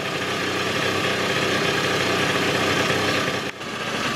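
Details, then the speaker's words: 1996 Rexy 50 two-stroke scooter, barn find, first start after 13 years, now running on fuel from its own tank: steady, buzzy idle holding an even beat with no stumbling or hunting; normal idle. "jetzt läuft er tatsächlich mit Treibstoff aus dem Tank bisschen laufen gucken"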